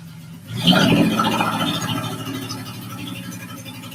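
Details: Honda J-swapped Porsche 914 on first startup: the engine catches and settles into a quick, uneven clack about three per second at idle; heard on the passenger side, owner wonders about a loose bolt, origin unclear.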